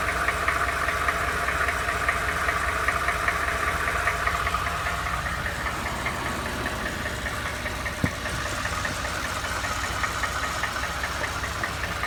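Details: Used Ford F150, knock noticed after 1000 miles of ownership, going to the dealer; at idle a steady light tapping two or three a second over the engine hum; cause unknown; engine knock.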